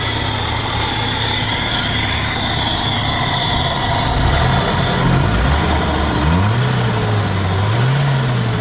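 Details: 2013 Nissan Datsun: petrol engine idles with a steady even low hum, no misses or knocks.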